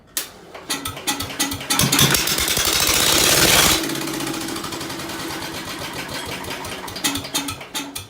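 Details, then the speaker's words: Ford engine freshly reassembled, badly out of tune: sputtering uneven firing with sharp pops and a loud whooshing burst, flame visible from the exhaust, then stumbles on; needs major tune. "Yeah, it needs major tune, so I'm just gonna leave it go. I hope y'all can see the flame coming out of the exhaust."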